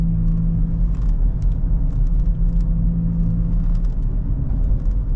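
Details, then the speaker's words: 2014 GMC Terrain driving at about 40 mph: a low, steady growl under the road noise, louder when turning loads one side and groaning worse when slowing down. Bad wheel bearing suspected, side not yet determined. "kind of hear it growing around I don't know probably 40 miles an hour so can already hear it there I can anyway especially when you're turning you kind of load one side of that bearing"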